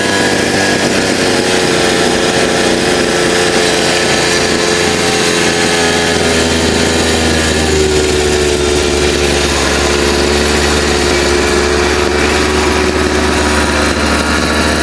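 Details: Chinese 43 cc two-stroke brush cutter that started but would not rev and stalled, after cleaning the air filter housing and washing and oiling the filter: strong steady buzz holding even speed about fifteen seconds, cut off cleanly; running properly.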